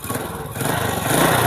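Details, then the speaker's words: Honda Supra motorcycle with an electric-start problem, started by kickstarter: small single buzzing at steady idle, firing evenly with no misses or knocking; normal, smooth idle. "Jadi, sepeda motor ini menyala dan berjalan dengan lancar."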